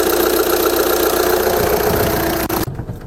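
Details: Audi A1 diesel (called a 1.9 TDI) idling after a fuel filter replacement and purge, with no leaks found at the new filter connections. Steady, even clatter with no misses or hunting, then a brief blip; normal idle.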